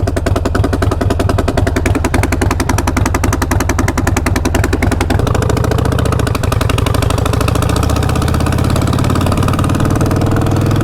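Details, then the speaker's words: Harley-Davidson V-twin riding with loud harsh chuffing and sharp puffs from the front cylinder exhaust header, popping on hard acceleration; both front exhaust nuts had gone missing, causing the leak. "that definitely sounds like there's an exhaust leak going on i'm going to check that i was wondering why it was popping so much every time i would accelerate hard and i think the reason why is that i have an exhaust leak"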